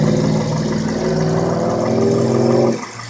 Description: 02 Toyota Corolla S (1zz-fe engine) What is the ticking or clicking sound?